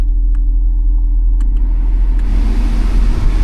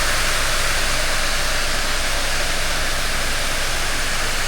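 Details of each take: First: Ford Escape, 109,446 miles, no check engine light, with an AC cooling complaint. With the blower fan on, sparse, irregular light clicks sit over a low steady rumble. Airflow is present, but the blower motor appears to be failing. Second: Ford Escape blower motor, tested with the dash removed: steady, even rush of air with no rattle, whine or scraping; the horrible noise it was making is now absent.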